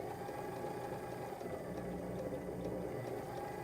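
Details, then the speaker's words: Sewing machine motor on a Sailrite Worker B 100-230V power pack, run from another modified sine wave inverter. A gritty, grumbly rattle at low speed that is absent at high speed; usable for sewing. A frequency issue with the inverter is suspected. "this one runs little bit of a grally noise at low speed but high speed we're not having those issues you could sew on this without a problem"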